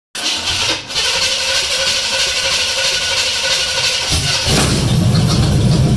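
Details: 1977 Chevrolet Blazer, SBC 350 V8, not started in 10 years; plug wires were on backwards (180° out) and timing was checked. It cranks, catches quickly and settles into a steady, even-firing run that picks up near the end.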